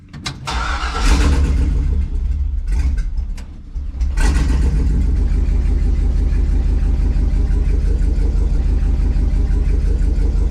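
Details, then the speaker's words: LS-swapped 1954 Chevy rat rod V8 with misfires on cylinders 7 and 8, worse under load: lumpy stumbling idle, misfiring just as much with those plugs disconnected, strong fuel smell suggesting injectors work; engine misfire. "those cylinders aren't the plugs aren't even hooked up on these two cylinders and they're still misfiring just as much as they were when they were hooked up"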